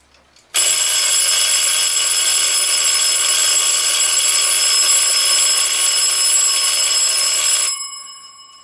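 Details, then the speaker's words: Forestville wind-up alarm clock after repair, with the re-oiled movement and the hammer bent and leveled so it reaches both bells: loud, even, high metallic ringing for about seven seconds that stops cleanly. The alarm works properly. "besides a little bit annoying it seems to be doing its job"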